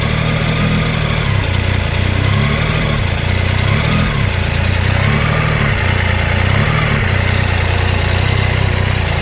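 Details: Triumph Tiger 800 XRT idling with a light, fast, persistent tick over the low engine hum, still present after replacing header crush gaskets found fitted backwards; spark plugs fine, cause unknown.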